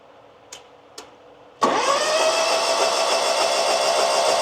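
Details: RedMax mower engine, after cleaning out debris and before new spark plugs: a couple of clicks, then it catches and settles into a steady, even run with a smooth rising note; running clean.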